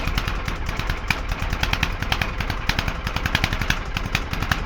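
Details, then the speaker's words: Probably late-1970s Petter AC1 diesel Kango generator, left standing outdoors for years, cold start just above 0 °C; decompression lever feels wrong. Cranking brings rapid, uneven sharp cracks and vapour as it tries to fire but never settles. "Right, time to get cranking. There's vapour coming out, it's a good sign."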